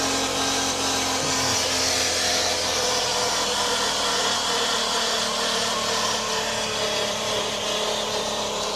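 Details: 2019 Chevy Cruze 1.4 turbo at 70,000 miles: loud, steady whooshing hiss with a constant low whine from the transmission area, not the suspected purge valve; no fluid under the car, and it shifts a little weird.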